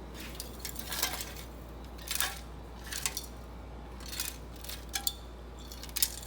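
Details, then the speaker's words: Honda Foreman 350 4x4 ATV muffler, shaken by hand: a loose metallic rattle like a can of rusty nails about once a second. The muffler also has rust pinholes. "sounds like a can full of rusty nails in there so i'm going to attempt to either cut it here or here all the way around and open this up and maybe fix it or gut it or something"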